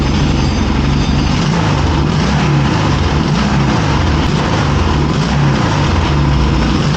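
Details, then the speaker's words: 1981 Yamaha XS650 Special first start after carb rebuild, on weak battery and bottle fuel, partly choked: lumpy twin idle with irregular exhaust pops from the right cylinder; carb boots or pod filters possibly at fault. "The engine sounds like it's running pretty well. Now I am getting some backfiring on the right cylinder. I'm not exactly sure what that is."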